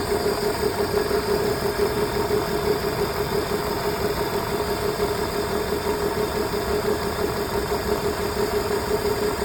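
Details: BMW E46 engine at idle with the check engine light on: uneven, lumpy beat about three per second with occasional dropped pulses, a misfire.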